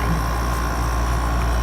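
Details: Haier 5,000 BTU window air conditioner HWR05XCK-L, owned since about 2011; lights dimmed as the compressor started and its tubes ice up a little: steady low rumble with a faint constant tone on top, no knocking or rattles; normal running.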